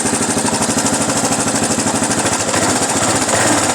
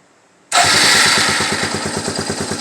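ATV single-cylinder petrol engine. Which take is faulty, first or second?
first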